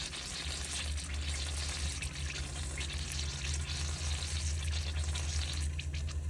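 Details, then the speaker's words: Irregular gurgling and spitting over steady pump hum as a Hygger pond pump is switched on briefly while repriming with irrigation feed and bypass open; intake line still bleeding air, bubbles later stop. "When you turn it off, that'll bubble like that. So, that's bleeding out the air in the line."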